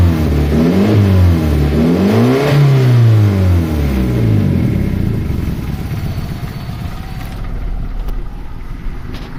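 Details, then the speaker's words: 2012 Hyundai i10 with a silencer noise complaint, another mechanic advised replacing the silencer: revving up and down brings a rhythmic puffing chuff from underneath that quickens with revs; exhaust leak at a broken silencer bolt, repaired by welding and a new bolt. "गाड़ी में जो है silencer की कुछ आवाज आ रही है। कुछ कोई मैकेनिक ने बोला था कि इसका जो है साइलेंसर चेंज करना पड़ेगा।"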